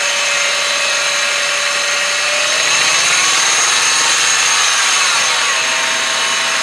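A shrill, steady whine rides high over a quiet engine, drill-like and constant; sounds like a dry pulley bearing, possibly the idler.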